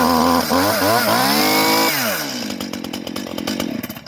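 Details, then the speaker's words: Two-stroke Stihl chainsaw after chain replacement, choke off and brake released, revved: crisp blips rising and falling with the throttle, then a clean drop back to idle; runs normally, chain perhaps could be a little tighter. "Take the brake off. Give it a bit of a rev."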